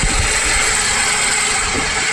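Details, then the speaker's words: Running engine checked with a screwdriver or stethoscope as a listening tool: steady gritty hiss and rough rubbing confirmed coming from the alternator, a worn alternator bearing. "The noise is definitely coming from the alternator."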